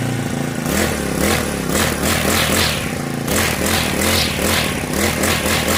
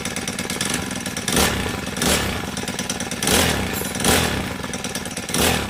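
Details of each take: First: Honda GX35 brush cutter after a valve tappet clearance adjustment and clutch replacement. It revs up and settles cleanly to an even buzzing note with none of the earlier metallic ticking: normal running. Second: Honda GX35 brush cutter, small four-stroke at high speed: fast, light metallic sewing-machine tick; valve tappet clearance out of spec, fixed by tappet adjustment along with a worn clutch replacement.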